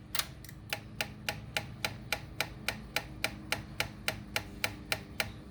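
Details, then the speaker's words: Honda Ruckus that died and wouldn't restart, key cycled to prime. Steady light clicking about 3.5 times a second from the original fuel pump while the fuel line fills slowly; earlier it sputtered and died on throttle. Weak fuel pump. "That clicking you hear is the fuel pump, but it just seems like it's not really pumping much."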